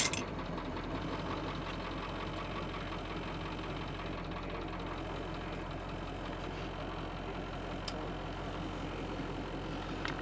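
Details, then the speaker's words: 1984 Bluebird Wanderlodge diesel cold start: engine catches at once into a steady, even low rumble with no misses or knocks, oil pressure about 75 cold; healthy cold idle. "Let's turn it on and you can hear this thing just fire right up."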